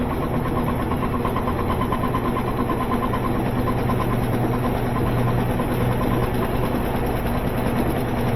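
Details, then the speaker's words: Washing machine on spin with a heavy load of already-spun clothes, after a new water valve was fitted: rhythmic thumping and rattling builds as the drum spins up, machine walking backwards out of place; worn suspension snubber pads. "Now, as it spins up, you get more and more vibration. Wally thought that was his mama. You see how this machine is walking backwards?"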